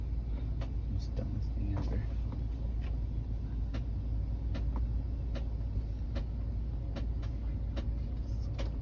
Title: Another issue with my car (A/C making noises)